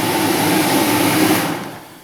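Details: Blower motor from a 2003 Dodge Ram 2500 5.7L Hemi, jumper-powered (green power, black ground) during heater core and heater box reassembly: steady whirring hum with smooth airy rush, even pitch, clean spin-down; healthy.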